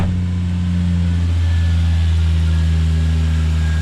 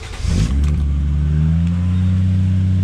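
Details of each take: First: Car just started after sensor work holds a fast, steady, smooth idle with no hunting. The high idle is suspected to be from the air conditioning being on, not confirmed. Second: Car started after sensor work: cranks, catches within half a second and settles to a steady, even hum. The idle is slightly high, likely because the AC is on, and the belt stayed on.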